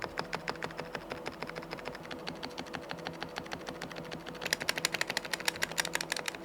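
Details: Keyboard after replacing its stabilizers with pre-lubed, pre-assembled ones to cure odd noises: crisp, even key clacks at a quick typing pace with no rattle or ping on the long keys, healthy.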